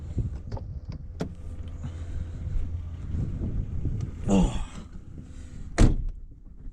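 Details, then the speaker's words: BMW E36 320i power window; short motor whirs that strain, stop and restart as the glass struggles upward. Slow power window, owner suspects electrics, cause unconfirmed. "so we've got window issues which is obviously electrics"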